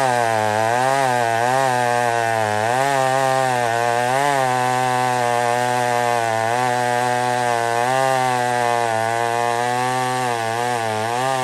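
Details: Old McCulloch 1-71 chainsaw cutting wood after a major carb upgrade: gas line leak zip-tied, intake double-gasketed. High strong scream dips slightly and recovers as it bites, pulling cleanly without bogging. Normal running under load.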